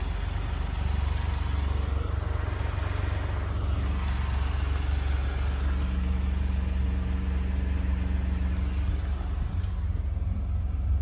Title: 2018 Ford F-150 Arb 8895298 Cold Start Rattle & Timing Chain Noise